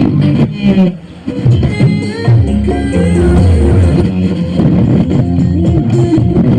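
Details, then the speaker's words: Polytron Big Band BB 455K radio after repair, previously hoarse/scratchy sound blamed on a faulty variable component: music comes through full and clean at steady volume with no crackle; normal radio reception. "MB udah normal temen-temen suara udah enggak serat lagi ya"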